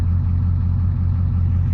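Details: 1989 Ford F250 7.3 IDI diesel, started from the cab: deep, steady rumble with an even beat and no misses, stumbles or clatter spikes; healthy diesel idle.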